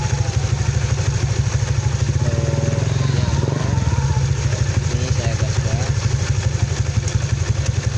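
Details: Honda Vario scooter after cooling system repair (radiator coolant dripping, red temp light when hot) and refilling radiator until bubbles stopped: quick regular low putter, even, no rattles or misfires; runs normally.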